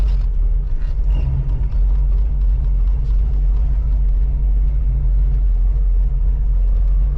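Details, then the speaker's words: 1985 Oldsmobile Cutlass Supreme with a brand-new carburetor, test drive around the block with water temperature under 100: a deep, steady idle that holds without stumbling or dying, as it should. "All right, I'm on idle. That's what you want."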